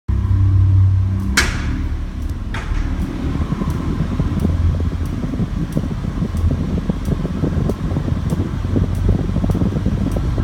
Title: MK7 Golf R Clicking Noise